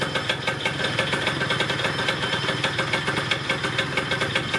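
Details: Yamaha Neo's 50 scooter, 50cc two-stroke, after service (new hoses, air filter, spark plug, 2-stroke oil), idling during a charging check with a multimeter: quick, even buzzing beat around six pops per second, steady with no misses. Idles cleanly.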